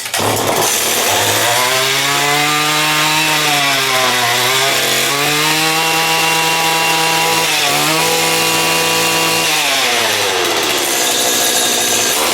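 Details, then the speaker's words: STIHL two-stroke trimmer, unused for about 2.5 years, freshly fueled, primed and choked: revs up and settles back several times with a clean steady note at each throttle step; runs healthy, normal running. "Give her some of that, give her a good choke. Oh, holy, eh? This hasn't run for 2.5 years, I'd say."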